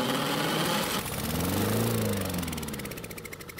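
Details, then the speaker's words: Free non-running Honda lawnmower, missing its gas cap, kept running on propane from a torch: the single-cylinder engine runs rough, then its firing slows and fades as it starves. It stalls. "well that didn't work out very well at all and I think it's because I can't run around the mower fast enough"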